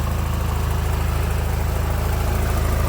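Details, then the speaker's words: Nissan Qashqai with CVT at idle: uneven pulsing about three beats a second with a lumpy shaking note, like a dead cylinder, sounding like a hole in the exhaust; steam and smoke from the rear, oil around the engine; cause unknown. "цей дуже цікавий ситуація в тому що він троїть запускай але троїть якось так дуже цікаво чуєте і звук такий ніби втрубі і дірка"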